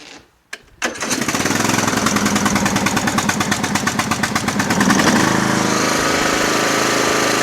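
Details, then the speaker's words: Lawn tractor, started before sale: cranks briefly, catches and settles into quick, steady putter with no misses or knocks; normal running. "Sounds great. Good tractor, like I said."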